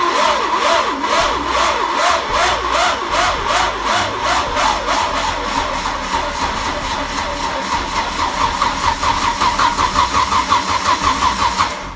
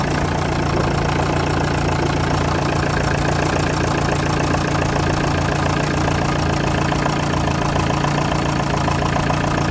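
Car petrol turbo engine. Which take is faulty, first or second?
first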